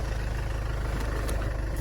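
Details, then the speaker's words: 2009 Land Rover Freelander 2 XS, on an axle stand after crankshaft position sensor replacement, idles with an even, low, steady rumble and no stumbles or cut-outs; it runs good. Before the repair the faulty sensor caused jerking, cut-outs and no restart. "here it runs runs it runs good"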